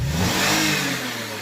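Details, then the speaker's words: 2018 Toyota Highlander after fuel pump replacement (previously lost power and would not rev): engine spins up cleanly and settles back without stumbling or dying; smooth, even revs, normal. "but they can look absolutely no problem it's not bugging out it's not dying"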